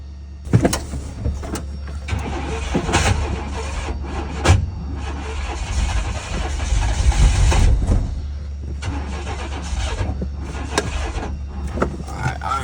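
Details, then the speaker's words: 1995 GMC Jimmy/Chevy S10 Blazer Vortec V6 after distributor turned slightly: cranks, catches and keeps firing into uneven low rumble settling toward idle; timing close enough to fire, fine tuning and fuel pump install still pending. Starts and runs. "we know we got the timing pretty pretty close enough for it to turn over and fire"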